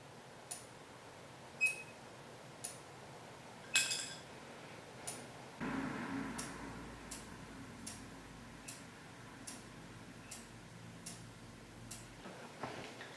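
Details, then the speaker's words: Ariens mower with Kohler Courage XT-6 engine: sharp isolated clicks a few seconds apart as the starter bar is pressed, the ignition ground releasing cleanly; no click means the pin isn't disengaging the ground. "so you should hear that distinctive click when you're pressing the starter bar if you don't hear it then it's possible that our pin here is not disengaging the ground and allowing the lawnmower to start"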